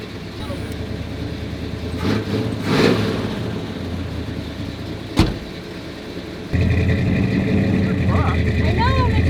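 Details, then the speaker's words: 1986 Ford F250 running after about 15 years sitting: steady, deep exhaust rumble that holds fast and rises partway through; engine idling very high on its own. "it's high really high really high on its"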